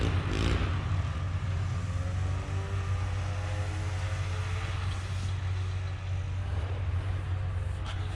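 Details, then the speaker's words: 1978 Polaris Cobra 440 two-stroke snowmobile, abandoned 20+ years, after pull start with choke and carburetor pilot jet work: steady even drone with strong low rumble and brief throttle blips; runs smooth and healthy. "it runs great guys it's so much fun yeah it's not very good on pavement"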